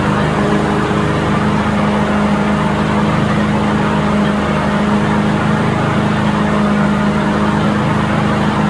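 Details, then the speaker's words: John Deere walk-behind mower with a Briggs & Stratton 725 auto-choke engine, in for no-start, after carburetor replacement: steady, even single-cylinder drone with no misses or surging; it runs perfectly, like new from the factory. "okay so the mower runs perfect uh without issues and um now we have a unit to give back to the customer that runs just like like it was straight from the factory"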